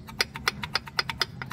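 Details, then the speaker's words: Chevrolet Astra, Vectra or Zafira brake caliper: loose brake pad knocking back and forth with sharp metallic clacks about six a second, as on dirt or cobbled roads; fixed by cleaning, high-temperature silicone and lubricating. "o maior problema aqui pessoal é este cara aqui ó é essa pastilha que fica batendo ó ó é esse barulho aqui"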